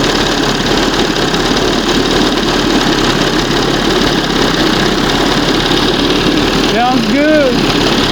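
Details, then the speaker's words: 1971 Johnson 20 hp outboard after fitting a smaller high-speed jet and readjusting the carburetor: revved to a steady, even high-pitched buzz with no misses or surging; runs clean at speed. "That's what fast should sound like."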